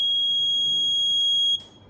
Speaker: Makanya kalau di reset bunyi lagi Pak kayak gitu.